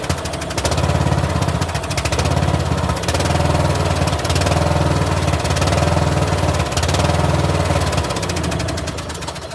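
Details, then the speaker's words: 2013 Troy-Bilt Bronco riding mower that sat 3 years, driving out of the shed after first start; a belt was later seen hanging off. Steady single-cylinder thump with even drone, no knocks or misses: normal running while driving. "All right. Well, she does drive."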